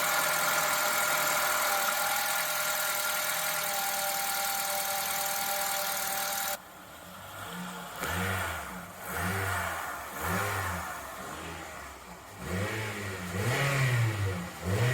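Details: 2013 Honda Civic with R18Z engine on a pre-purchase inspection: smooth idle, then quick blips where revs climb and fall cleanly, no knock or rattle; starts quickly, runs quietly, healthy engine.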